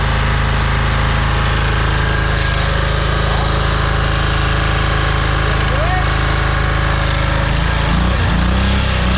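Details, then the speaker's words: Oil-starved scrap engine restarted after a tight spot, governor pulled: harsh rapid thrashing beat about three per second, then stumbles and winds down; boiling sizzling oil, owner thinks both rods broke, zero compression, no external damage. "Oh, we've got boiling oil. It's good for it. I think the both rods broke."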